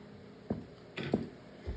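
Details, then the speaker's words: Solar Fox arcade game, sound board with one capacitor not yet replaced, game sound barely audible; three faint, uneven speaker pops in under two seconds with no game sound; amplifier popping, cause not found. "I'm still getting the same popping sound and I know when I clear a board you can hear the volume very slowly or very quietly you can barely hear it"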